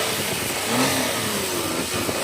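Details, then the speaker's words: Daihatsu Naked Turbo 4WD automatic kei car after a jump start, battery badly depleted from sitting at auction; engine held at a fast slightly wavering rev by throttle so it doesn't stall. "Um but yeah, so you can hear the engine running again. And I think the battery is super depleted."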